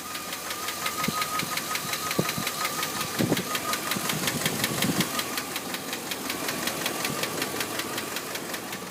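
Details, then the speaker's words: 2001 Dodge Ram 1500 4x4 petrol engine with just over 234,000 miles idling with a fast, steady, sharp ticking that increases on acceleration; cause unknown. "so i got this problem with my 01 dodge ram 1500 4x4 it's making a clicking noise in the engine i don't really know what it was just seeing if anyone knew"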